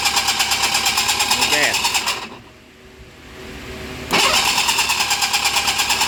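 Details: 40hp two-stroke cranks in steady pulses about three a second with a little throttle, pauses, cranks again, but never catches or fires; cranks but won't start.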